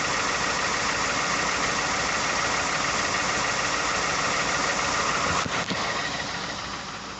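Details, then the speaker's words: Ford F150 5.0 V8 with over 100k miles on the original engine, cold start at about 37°F: loud, rough idle with a dull knock about three times a second; heard only at idle, not above 1200 rpm; power unaffected, cause unknown. "Pretty freaking noticeable. At idle though. Go above idle, 1200 RPM, and you don't hear it anymore."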